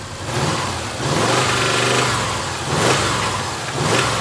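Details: 2000 Subaru Outback after alternator replacement (was not charging), now charging 14.4 volts: engine swings smoothly between idle and moderate revs, no knocks, squeals or rattles; healthy.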